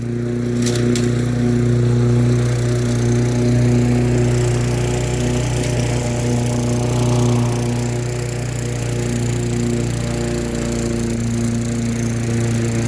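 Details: Lawn-Boy mower with a Tecumseh 4.5 hp four-stroke engine, revived after sitting 20+ years, cutting grass: the single holds a steady, even drone with no surging, missing or knocking. Normal running under load.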